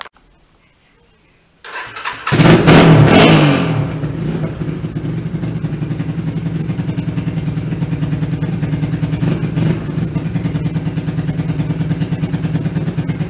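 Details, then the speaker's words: Yamaha Warrior ATV after rebuild, battery borrowed; starts first try, blips up loud and settles to steady loud thumping idle near three beats a second; normal start and idle. "um but yeah it runs good so in a second here i'm going to start it up for you guys uh so you can hear what it sounds like um it sounds pretty good"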